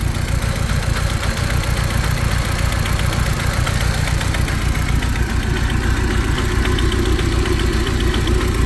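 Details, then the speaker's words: Audi TT MK1 hybrid turbo install, after sheared timing belt replaced with new racing belt; starts right up but idle chugs and stumbles unevenly, missing on a cylinder — misfire at idle, owner suspects bent valves. "she starts right up but you hear miss fern here"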